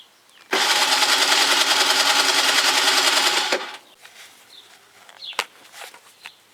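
Three seconds of fast, even starter whirring with no catch or firing, then it stops; cranks but won't start.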